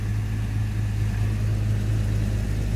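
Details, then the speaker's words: Series 1 Jaguar 4.2 with new electronic ignition, original carbs and automatic choke, cold start after three weeks sitting: smooth even low idle burble, no misses or ticks, running smoother cold than ever. "Honestly, I've had 4-year-old cars that don't start as well. And by God, it's running smoother cold than it ever has."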